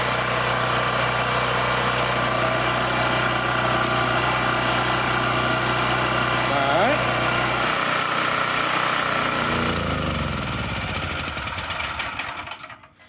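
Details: Wen Power Pro 3500 W generator, revived after about 15 years unused, with a new carburetor: steady even drone for several seconds then winds down; runs cleanly, frequency good but voltage too high.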